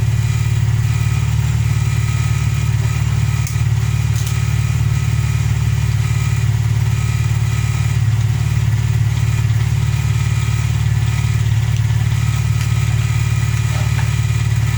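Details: VW Polo Playa after fixing no-spark from snapped distributor plug wires with a new wiring loom, following a clutch change: heavy, even low rumble holding steady throughout, no misses or knocks; idling smoothly and healthily.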